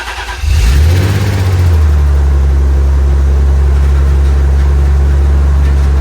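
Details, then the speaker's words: Car engine started on fresh fuel after draining bad fuel from the tank and refitting the fuel line; catches fast, swells to a firm rev, then settles into a smooth, steady low rumble without misses, running healthy. "sounds pretty healthy sounds happy happier than it was with that shitty gas a little bit yeah definitely when I drove it in earlier but it was yeah I heard it a couple times I that gas in it and it hasn't really been normal but sounds good now"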